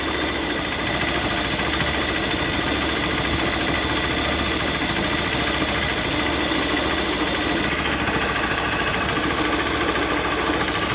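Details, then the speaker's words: Motorcycle idling with the clutch lever pulled: busy metallic rattle and loose knocking under the engine note. Worn clutch basket shaft bearing, not the clutch; needs full engine teardown. "então rapaziada ó o eixo do eixo do rolamento do eixo da Campana desligando tá quebrando pessoal quem apostou que era de embreagem Ô meu filho então é só o rolamento do eixo da Campana"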